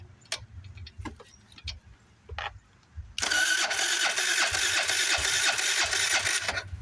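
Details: 2018 Wolf RX50 scooter on a jump box: starter churns steadily with ragged firing but never catches; cranks, no start, cause not confirmed.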